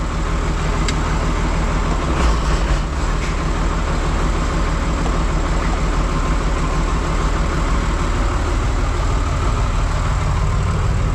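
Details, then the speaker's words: John Deere 2955 tractor driving a Case 600 snow blower via PTO after blower repairs; steady low drone at constant speed, smooth and even with no ticking, rubbing or grinding; normal running. "Sounds like it's running good. Going to rev it up all the way."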